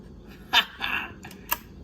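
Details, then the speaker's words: Sansui G-5700 amplifier, speaker protection relay that previously did not click, after repair and at slightly reduced voltage: a few sharp crisp clicks over a quiet room as the relay pulls in and latches; engaging normally, slowly. "but i think we can hear them clicking haha took forever but but it did"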